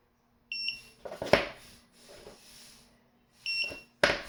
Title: ticktime keeps beeping non-stop